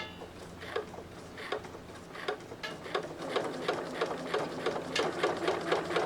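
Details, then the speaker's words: Singer 9970 sewing machine with size 12 universal needle, sewing multiple fabric layers for pleated masks: quiet, even stitching rhythm with soft motor hum, only the foot pedal spring squeaks; normal running. "just listen the quietness of this oh my god I could hear the foot pedal squeak compare it to this the foot pedal spring is making noise and the machine isn't"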